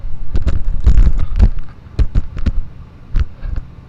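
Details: 1999 Honda Fourtrax Rancher TRX300FW 4x4 with front-wheel drive only after the rear locked up and ground: irregular bursts of heavy clunks from the rear end, with a snapped yoke and U-joint found.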